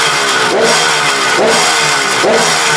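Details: KH250 three-cylinder two-stroke motorcycle revived after 32 years in storage. Crisp blips from idle about once a second, rising and falling cleanly with no misses or rattles, and a calm return to idle; normal revving.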